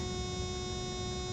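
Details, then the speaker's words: Thermo King trailer refrigeration unit set to +7°C and started from the panel: a steady, even electric warning buzzer before the diesel cranks. This is a normal pre-start alert telling people to keep clear. "İkaz uyarı sesi. İkaz ediyor. Elini ayağını çek sağdan soldan, frigodan uyar."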